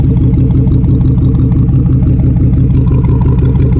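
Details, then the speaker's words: 2013 Chevrolet Tahoe PPV federal pursuit car at idle, heard from underneath: loud, deep puffing rumble pulsing with the firing, far harsher than a sealed exhaust, with fumes noticeable. The leak was traced to the passenger-side exhaust manifold. "Let's put our head down there and see if we can see if it's a collector or not, because it sounds like a pretty serious leak."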